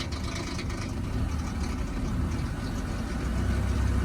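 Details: High-mileage 2002 Ford Explorer Sport Trac 4.0L V6, 2WD, jump-started on a very cold morning: uneven light rattling over low rough idle, quieter with a little gas; owner attributes it to timing chain slap/failure, common on these engines.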